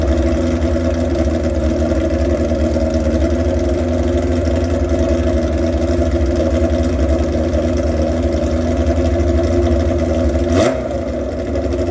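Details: Old chopper motorcycle, warm idle during a propane test around the carburetor intake rubbers: steady, slightly uneven idle that never picks up speed, so no vacuum leak indicated; roughness cause unconfirmed.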